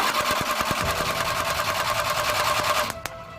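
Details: Suzuki F6A engine in a Multicab: regular starter whirring at about three pulses a second that never catches and stops abruptly; cranks but won't start.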